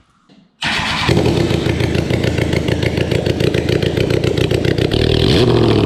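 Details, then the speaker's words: Kawasaki Ninja ZX10R, 2006 special edition with a cracked frame, started with no exhaust fitted. It cranks, catches and runs with loud, rapid, uneven popping and crackle. The engine runs rough because the exhaust is off. "now all right so it does run um clearly you just heard that right there it's a little goofy it's not going to run obviously the best because there's no exhaust on it"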